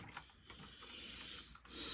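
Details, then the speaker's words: Old metal-chassis HO gauge model locomotive motor: quiet, raspy high-pitched grinding with scattered faint ticks as the motor chews on accumulated carbon buildup; the gears also need oil. "that sound you're hearing that grinding sound that's the motor trying to chew up carbon buildup that has accumulated in the motor"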